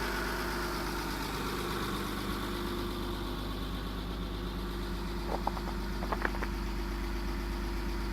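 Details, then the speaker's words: 2001 Mitsubishi Eclipse GT after replacing worn rod and main bearings and changing the oil, which cured a rod knock: an even low idle rumble with no knock and a few light clicks near the end. "okay this is what it sounds like now actually not too bad"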